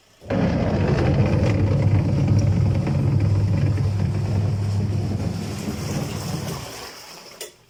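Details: Washing machine with a faulty gearbox, which also drips water onto the motor: while running it gives a loud, rough low rumble with an uneven churning beat of about three a second. The gearbox is to be replaced.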